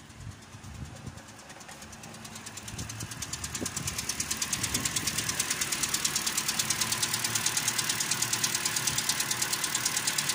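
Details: 2013 Toyota Corolla 2.0 XLI gasoline engine (called 3GR) idling with a sharp, regular ticking knock about three per second, growing louder and crisper; owner says it fades when hot; first suspected rod bearing, found broken roller rocker arms with excess valve clearance.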